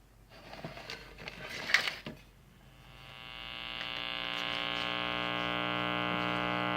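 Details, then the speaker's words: 1946 Sears Silvertone model 132.818 four-tube series-string TRF AM radio, bought not working: after warm-up a steady low buzzy hum swells in and holds regardless of volume setting; mains hum suspected from filter capacitor issues. "And I've got hum no matter what position the volume control's in, so that tells me got some filter capacitor issues going on first."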